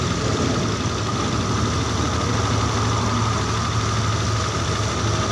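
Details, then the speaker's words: Honda Beat injection scooter after engine rebuild (cylinder bored to oversize 50, crankshaft bearings replaced), idle screw being set at about 2.5–3 turns with auto choke still working: steady even hum that stays too fast, high idle. "Putaran rodanya masih begitu terasa kencang, teman-teman."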